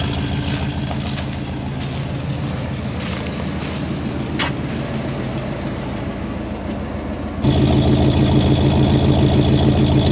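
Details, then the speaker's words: 1973 Oldsmobile 98 with 455 V8, 66,000 original miles, first run after about 15 years off the road and a carburetor float valve cleaning: smooth, quiet idle burning trash from the exhaust, with a faint rhythmic puffing tick, suspected cracked manifold or bad donut gasket. "Wowee, that is a smooth running machine. Obviously burning a bunch of trash out of the exhaust. Sounds like we have a cracked manifold or a bad donut on that side, but smooth and quiet."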